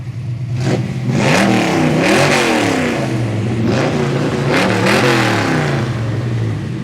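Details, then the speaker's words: 1955 Chevy with built 400ci small-block V8 (2003 build, about 8,000 miles since), Holley 650 carb, 3-speed auto: deep, strong V8 note rising and falling cleanly through several throttle blips, crisp and even, no knock or miss. "Chevy and as you can hear by the sound you know it ain't your stock 55 Chevy"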